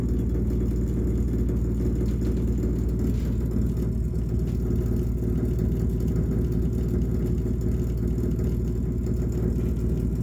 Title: Rumbling noise again